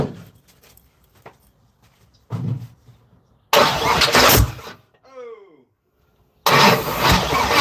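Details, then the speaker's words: Third-gen (82–92) Camaro on starter fluid, other coil pack just plugged in: starter cranks in short bursts, then loud whooshing pops as it fires briefly and dies; fireball backfire, no start. Owner suspects injectors not working. "That shit's crazy. The fireball that just came out of there was wild."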